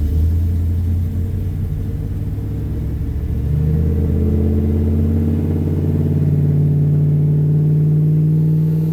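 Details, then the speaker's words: 2000 Dodge Ram, first start after removing and testing the alternator for overcharging, battery was unhooked so idle memory lost, charging a little low: low uneven idle rumble that wanders then settles higher and steadier; rough idle, sounds loaded up. "Battery was unhooked, so it's lost its idle memory. Charging a little low. It's going to run kind of rough here because it doesn't it doesn't have any auto memory and it sounds like it's loaded up."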